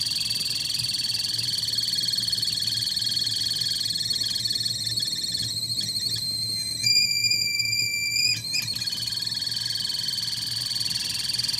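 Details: Kettle heating with part of it broken: steady high-pitched whine with irregular croaking rattle and a brief higher tone; abnormal, cause not clear.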